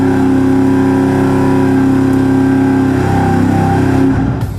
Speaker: The issue we're having right now is that it sounds like it has a little bit of a misfire.